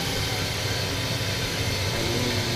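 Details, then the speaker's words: Ducane gas furnace back running after a bird was removed: loud steady roar of burners and blower, even rumble, no knocks or rattles, igniter lit and firing; normal running. "pretty soon the Heat going to come out the gas okay we good all cuz of a bird back running"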